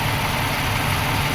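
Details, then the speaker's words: 1995 Suzuki Escudo at operating temperature: steady, slightly raised idle hum that drops when the thermo (fast idle) valve is moved by hand; fast idle valve misadjusted, clearance to be set. "let me manually move it and you're going to hear the engine [Applause] change it's supposed to be up there and the idle has dropped [Applause] slightly so we're going to adjust it until we get that clearance"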